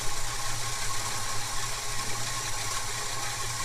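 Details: Holden HK Premier wagon V8 idling after a Holley carburettor fix: float swapped to get the right float level and no fuel now coming up through the top; steady, even low rumble with a constant beat, no misses, stumbles or surging; normal idle.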